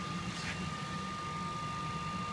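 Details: Phase Changer AVS single-phase to 400 V three-phase converter running at level seven with input dropped to about 200 V, output held just over 400 V: steady even hum with constant high tone, no knocks or surging; normal running.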